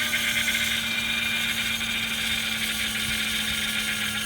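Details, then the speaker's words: 2004 Buick Century, jump-started from a jump box: steady high-pitched squeal over a quiet idle. Likely an accessory belt slipping. "Start it up with a jump. I hear a belt squealing."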